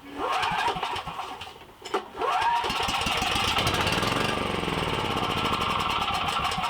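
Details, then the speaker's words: Briggs & Stratton 7,350 W surge / 5,250 W continuous emergency generator, no-start after sitting 6+ years with a carb ruined by fuel and moisture: on starting fluid and choke it catches and settles into a steady run, so compression and spark are good; fuel delivery fault. "So as you see, it started right up. So that tells me it's got compression and it's got spark. We're just dealing with a fuel issue at this point."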